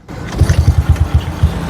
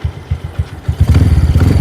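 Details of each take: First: Old Yamaha Jupiter Z / Vega R New carbureted motorcycle, repaired after growling at mid rpm (40–60): the idle is now normal, an even low putter about seven beats a second with no stumble or misses. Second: Yamaha Jupiter Z (old) / Vega R New with fairly new carburetor: idles normally, then on throttle revs hang and burble around mid RPM (40–60) instead of climbing; runs better with the air filter rubber removed; mid-RPM stumble blamed on the carburetor.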